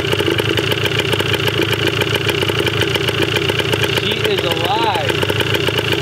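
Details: 1980 Yamaha DT/GT 125 Enduro two-stroke on its first start, with old fuel, an uncharged battery and seemingly low compression. A rapid, even popping idle holds a steady beat with no misses or knocks. It runs fine, though the carb likely still needs cleaning.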